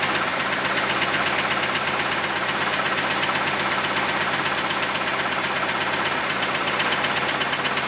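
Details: Camaro V8 first run after a quick weld of the exhaust Y-pipe; a dead animal was blown out of the exhaust: a sharp metallic knock of about 160 a minute over a thin idle; the owner thinks the engine will have to be pulled.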